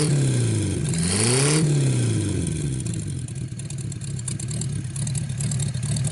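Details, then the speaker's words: 1949 Buick straight-eight, first start in years, restarted after cooling down and refuelling: smooth, even note climbs on a quick throttle blip then settles to a steady idle; runs really good. "Well, there you go. Runs really good. I'm going to let it cool off a little bit, and we're going to see if it'll fire one more time, see how well it starts, and then we'll call it a video."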